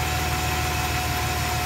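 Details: 2008 Chevrolet Silverado V8, a little over 100,000 miles, after lifter tick fix with oil filter change and about half a quart of Max Life stop-leak oil: steady, even idle, smooth low hum, no tapping; valvetrain quiet.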